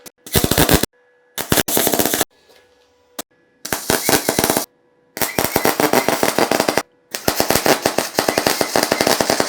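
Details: A beginner's basic MIG/MAG welder: the arc fires in rapid, sharp pops like machine-gun bursts instead of a steady sizzle; voltage is suspected too low or wire speed too high.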